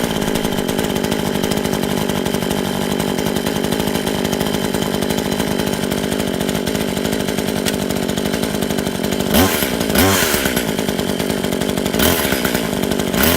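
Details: Brand-new Tanaka 14" top-handle chainsaw on its first run, fuelled with 89 gas mixed with two-stroke oil. A crisp, even buzz holds steady revs, then bogs briefly as the chain bites wood; healthy and running clean.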